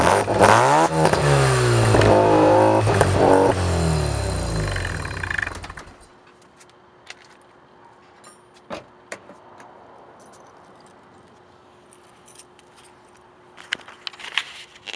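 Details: 1987 Mazda RX-7 rotary with Pacesetter header, custom test pipe, Borla catback, after fixing all exhaust leaks: catches and revs cleanly about six seconds, crisp even note with no leak puffing or ticking, then shuts down.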